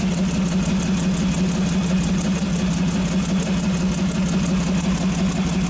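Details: 1948 Nash engine idling low after carburetor rebuild and fitting the original exhaust pipe, no smoke: steady, even idle with a smooth, regular firing beat and no knocks, misses or rattles; normal idle.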